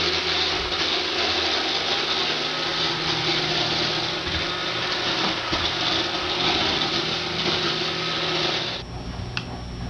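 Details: iRobot Roomba 560 running on hardwood floor (quiet on carpet, and an earlier Roomba Discovery was quieter on the same floor): loud steady whir with a hard rattling chatter throughout, then it suddenly quietens. Rattle on hard floor, cause unclear.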